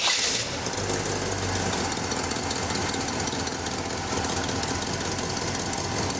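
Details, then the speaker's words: 1956 Chevy 3100 pickup with a Camaro 305 V8 and Turbo 350 transmission: a short starter crank, then the V8 catches and settles into a steady, even rumble with no knocks or misses. Normal start and running. "We're going to start this Chevy V8 engine up for you so you can hear it run."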